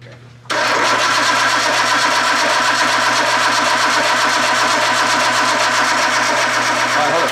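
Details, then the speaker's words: R33 Skyline with swapped RB25 engine, first start attempt: starter churns steadily about four beats a second for seven seconds, never firing; cranks but no start. "it takes a while to build fuel pressure so it might crank a little bit before it starts"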